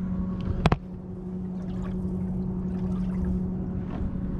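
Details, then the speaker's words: Rhodan trolling motor newly installed on World Cat SD boat, deployed and doing two full turns: quiet, steady mid-pitched electric hum at even pitch, no grinding or clicking; normal operation. "So this thing's pretty quiet too. It's really quiet."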